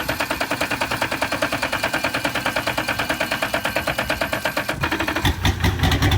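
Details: V8 engine on a wrecked deep-sea fishing boat, rebuilt, idles with even, lumpy pulses then picks up smoothly; now starts and runs healthy and regular.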